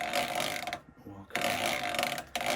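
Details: Wood lathe turning a cowboy hat from wet eucalyptus with carbide chisels, live centre in tailstock: steady whirring spin with even cutting hiss, short lull mid-clip, no knocks or chatter; running smoothly, creaking from the wood is normal.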